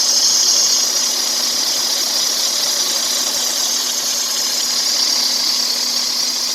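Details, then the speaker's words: Freightliner Cascadia DD-series diesel: a constant hissing whir with a steady low tone from a bad belt, because the worn belt tensioner is pulling the belt to one side; the tensioner needs replacement. "So for all of you that wonder how the belt sounds when it's going bad, this is how it sounds. The tensioner is actually pulling the belt to one side, to this side, and that's when the belt is going bad."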